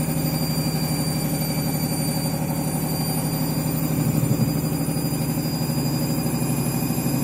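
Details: Washing machine final spin after a very sudsy final rinse, load sensor setting spin speed; continuous heavy roar with steady hum, far louder than normal, cause unknown.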